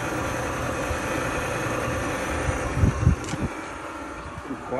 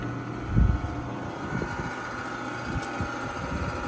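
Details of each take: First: Frigidaire gas dryer that had a broken belt, running after the repair: soft, even drum rumble with a low steady hum and only a couple of brief bumps, the drum spinning smoothly and quietly. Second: Frigidaire gas dryer picked up from the curb, started up; steady low motor hum with no drum rumble, drum not turning and turns freely by hand; broken drive belt.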